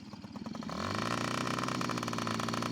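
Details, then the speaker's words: Yamaha PW50 two-stroke during air screw adjustment; idles but on throttle the note swells sluggishly and flattens, lacking power; bog on throttle. "it's idling but it like when I give it to gas it sounds like it wants to ball real"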